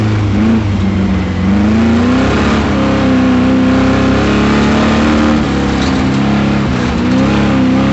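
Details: Camaro V8 at autocross, full throttle under load: rough uneven note, first thought to be a misfire, revealed on the next lap as a spun rod bearing knocking inside the roar.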